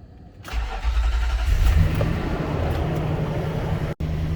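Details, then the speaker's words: Nissan Armada V8 with about 230,000 miles, first start after replacing valve covers (spark plug hole gaskets built in); short crank, catches at once and settles to smooth even idle, healthy start. "fired went right up but the odometer was doing something weird"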